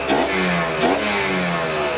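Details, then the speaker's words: Kawasaki Ninja 150 RR after cleaning clogged carburetor nozzle that caused misfiring, pilot jet 25, main jet 270: revs rise and fall with hoarse snorting rasp from the open carburetor because no air filter is fitted yet; disappears with filter. "ada suka ada suara ngorok itu dari karbu ya Belum pake filter sini tapi kalau udah pakai filter hilang suara ngoroknya"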